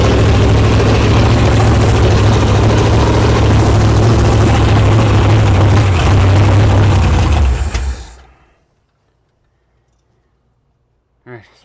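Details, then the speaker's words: 1973 Mercury Cougar 351 Cleveland V8, first start after setting the timing, running on fuel poured into the carburetor with no fuel supply connected: a loud, even idle for about eight seconds, then it dies once the primed fuel is used up. "about the camera all right well she fired off that's good I'll back the aisle down at us down a little bit um I'm trying to think how I could pump some fuel into this thing"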